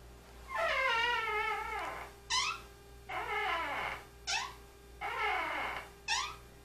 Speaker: all right so we're inside the closet and you can you can hear that nice squeak that's lovely right